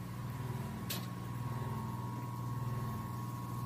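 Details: Roughly 120-year-old Emerson 1/2 HP 1180 RPM AC motor after restoration and fixing overly strong centrifugal switch springs that caused sparking: steady low hum, even tone, no knock or crackle; normal running.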